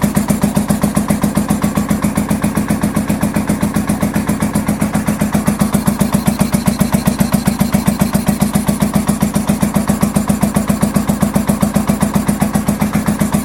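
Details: 1983 Honda VT750 V-twin motorcycle idling on choke after first start following a top end rebuild and modifications: steady, even beat about two and a half pulses a second, no misses or knocks; normal choke idle.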